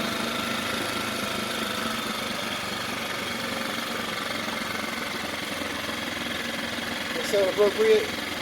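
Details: Mercury 4/5 hp outboard, bought as a no-start, with new carburetor: ticking over at a steady, even idle with a smooth buzz and no misses; runs normally.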